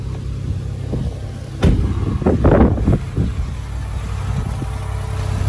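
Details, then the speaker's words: 2013 Lexus RX450h hybrid bought at US auction as a flood car, started on a booster: smooth, steady low rumble with no knocking, ticking or misfire, a few handling bumps; runs well. Normal running. "завелась все работают отлично хороший вариантик огонь"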